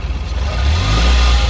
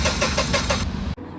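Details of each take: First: Tata Ace Gold BS6 CNG after replacing two spark plugs and the coil for a crank-no-start: engine catches and settles into a steady, even low idle with slight early surge; runs smoothly. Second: Tata Ace Gold BS6 CNG: starter cranks at a quick even beat for about a second with no firing, crank-no-start after codes were cleared; fixed by replacing the faulty ignition coil and both spark plugs.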